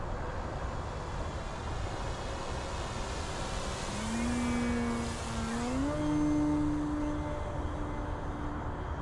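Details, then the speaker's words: Avios ExtraNG 1600mm 6S electric 3D RC plane in flight doing a high Harrier: motor and prop tone climbs and wavers with throttle over wind rush, with an odd warble that sounds funky when power is added; unusual motor/propeller noise, cause unclear. "Do a little Harrier up high. Well, that sounds, it's a weird sound to it, doesn't it?"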